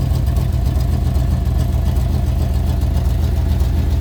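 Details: 1992-94 Chevy K5 Blazer on a cold day, idling with coolant coming out tailpipe before block seal: steady low rumbling idle with even pulse; owner suspects blown head gasket or intake manifold gasket, plugs not checked.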